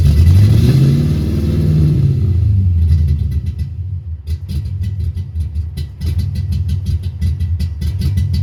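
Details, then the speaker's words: 1990 Ford Mustang LX 5.0 V8 (GT-40P heads, 30 lb injectors) that would not start; bad EEC power relay swapped: deep, lumpy, hunting rumble like four or five cylinders. Owner suspects heavy fuel glugging; several MAFs and computers tried, possibly a harness fault. "boom it fired up sounds like garbage sounds like it's on about four or five cylinders probably because it's just glugging like crazy"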